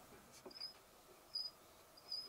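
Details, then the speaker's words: 12 VDC FanTastic RV roof vent fan in a Keystone Cougar trailer, about four years old: short sharp high-pitched chirps repeating about every 0.75 s; also squeaks when off and wind blows through; owner suspects a bearing needing lubrication, before cleaning and lubrication. "there you can hear it there yeah sometimes even when it's not on and the wind blows through it'll do that that drives me crazy so I think there must be a bearing in there that needs a little bit of lubrication"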